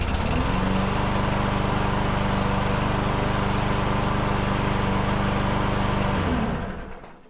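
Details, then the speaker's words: Troy-Bilt TB110 push mower with Briggs & Stratton 550EX engine, restarted after fuel-system cleaning: steady even single-cylinder running with no surging, fires right up, auto choke working, then a clean wind-down; normal running. "sounds great no surging and fires right up auto chokes working"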